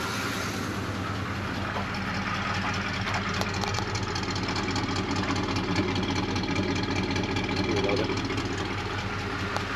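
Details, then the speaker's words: 1985 Suburban K20 at idle, warmed up: fast light ticking over a steady V8 idle, keeping pace with the engine; ticking at idle, owner hopes it isn't internal, suspects possibly exhaust, unconfirmed. "still sounds like I got a tick over here really really hoping that's not pump it inside the motor"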